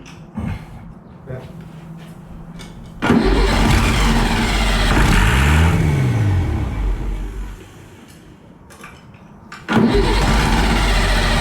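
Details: Worn Perkins 6354 turbo diesel, oil leaks worked on and cooling system bypassed, cranks, catches and is throttled up through neutral, forward and reverse with a rising turbo-spool whistle and no knocks; sounds healthy. Smoke is thought to be just water.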